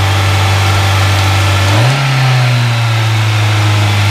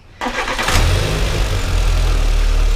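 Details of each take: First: Citi Golf 1.4i with idle speed far too high and accelerator seeming to stick; idle hum jumps when throttle is blipped and hangs high instead of dropping back. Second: VW Citi Golf 1.4i with over-revving, sticking idle: after throttle body cleaning and a new MAP sensor, quick start and steady even low idle with no hunting or surging; revs return to idle, MAP sensor was the cause.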